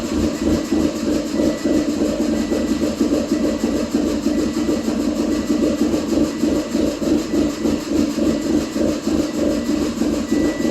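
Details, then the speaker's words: 2006/2007 Subaru Impreza 2.5i warm idle: uneven, lumpy pulse about three beats per second; lopey idle only after warm-up, with timing advance jumping erratically at idle; timing belt reportedly changed 10,000 miles ago. "It only does it once it warms up. As you just saw, we got some weirdness going on in there."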